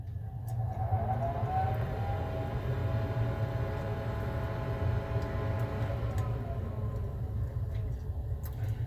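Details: Weber SmokeFire EX6 pellet grill after auger assembly replacement, set to 600 degrees: low, even auger motor hum with faint tone, fan audible, no grinding or catching; normal auger operation.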